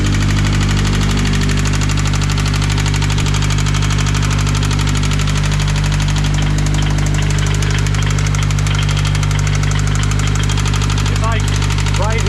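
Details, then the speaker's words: Subaru BRZ with a used replacement engine from an online marketplace, steady idle: deep regular knock about four times a second from the centre of the block, a definite bad rod knock; earlier a cam phaser was suspected instead. "that's a that's a hundred percent knock that is like just leave it running and come listen to it it's not good you're not gonna do anything to it"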